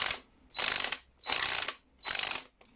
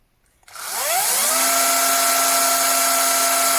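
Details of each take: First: Einhell TC-CD 18/35 Li cordless drill with a mechanical clutch, held lightly: four bursts of sharp rattling clicks, about two per second, as the clutch slips. This is normal mechanical clutch action. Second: Older, worn cordless drill running with no load at about 40 cm: it spins up fast and holds a steady high whine with a hard gear edge, louder than the newer drill. It still works fine; the extra noise is put down to wear and a more complex gear mechanism.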